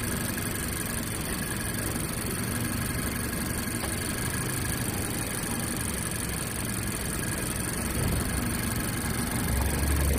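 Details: 2018 Mazda CX-5 petrol engine idling cold after start with a fast rhythmic knocking tick under the hum; the noise disappears about 10 minutes after starting.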